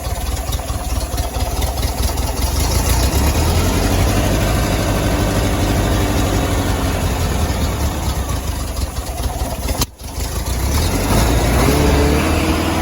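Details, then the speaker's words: 1972 Westfalia 1700 with dual Solex 34 CB carbs, timing around six degrees after: idles barely at 600 rpm, but after a blip it drones fast and steady near 2200 rpm and never comes down; high idle, cause not confirmed. "and now we're stuck around you know 2200 rpm and it really will never really come down"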